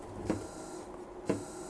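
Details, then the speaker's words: Small DC motor driven at 50% PWM duty from a function generator at too low a frequency: a short whir then stop, switching on and off once every second. "la encendemos y evidentemente lo que ocurre es que el motor se enciende y se apaga cada segundo"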